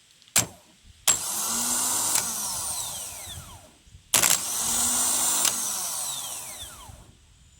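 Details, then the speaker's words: 1992 Geo Metro LSi convertible, G10 1.0L three-cylinder automatic: removed starter bench-tested off the engine on boost power, two short high whirring bursts winding down freely; sounds normal, earlier noise probably from loose starter (missing mount bolt), though shaft bushing floats in and out, possibly bad. "And what I'm hearing there sounds very normal. So it probably was just loose."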